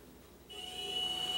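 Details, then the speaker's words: Mini mill after greasing spindle bearings to cure a squeal that came and went, high/low lever in neutral: spindle spins up to soft steady high whine, no squeal or grinding; normal quiet running, previously very noisy. "that's it now it used to make a ton of noise beautiful oh my ears are loving it"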